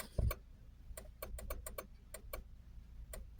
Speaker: that click sounds like a relay it's not a mouse what is it